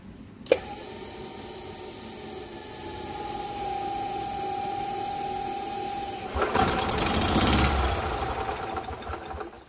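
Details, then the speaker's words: Gas Club Car golf cart: thin, steady whirling holds for several seconds before the engine catches and roughens, a delayed start caused by a loose starter/generator belt slipping; fix is tightening the belt. "It's because the starter generator belt is loose. Just tighten it up."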